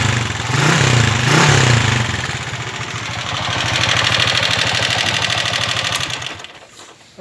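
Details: 1995 Honda TMX155 single-cylinder motorcycle, noisy and smoky engine: loud, busy clatter with steady ticking.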